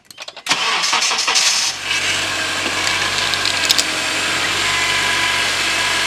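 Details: 2002-2011 Honda CR-V 2.4 at about 230,000-250,000 miles, first start after power steering pump replacement with a budget pump: engine catches cleanly and settles into an even idle with no pump whine or squeal; normal start.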